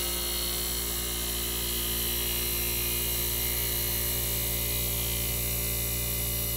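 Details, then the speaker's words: 1965 Fedders Weather Wheel air conditioner under restoration; its switch was cleaned with rubbing alcohol. Recorded near the compressor two minutes after it restarted via the thermostat bimetal strip. Constant low hum with a faint buzz, smooth and unbroken; normal. "all right all right guys here we go we're going to put you back near the compressor so you can hear it start up again now it's been a two minutes since it restarted"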